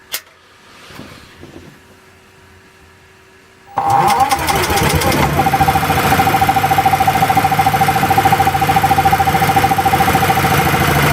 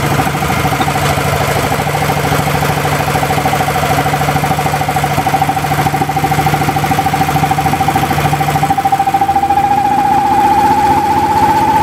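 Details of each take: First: Small engine running on LPG with the choke backed off too far: after a few pulls it catches and runs at a fast, uneven, hunting beat. Runs poorly from too little choke; on petrol it runs with the choke fully off. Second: Small engine converted to LPG/natural gas with new NGK spark plug and zero-pressure regulator, cold started, loaded by a grid-tie inverter: even, steady drone with no misses, faint rising whine behind; normal running under load before reaching temperature.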